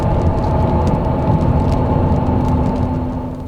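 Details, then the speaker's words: 2022 Hyundai Santa Fe Calligraphy with the 8-speed DCT at about 75,000–80,000 miles, heard from the footwell from 20 mph: a scrubbing whine that persists off the accelerator and grows to a constant hum with speed. Suspected transmission, not confirmed. "And the same for when Pick up speed, it gets louder. Almost now to a constant hum."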